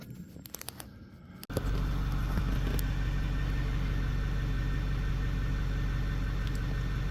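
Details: 2008 Ford F350 6.4 diesel started after alternator replacement, following valve cover bolt and fuel cooler repairs; fires up and settles into a steady, even idle with no knocks or misses, healthy.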